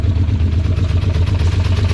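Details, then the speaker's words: Four-cylinder project car: uneven lumpy idle with loud clattering pulses about eight per second and low shaking throb, throwing debris everywhere and cooking on the header; runs very badly, possibly its last breath. "yikes this is so bad oh that it's Last Breath possibly oh my gosh it's gonna just jumping stuff everywhere you can hear it cooking on the header down there oh that's gnarly"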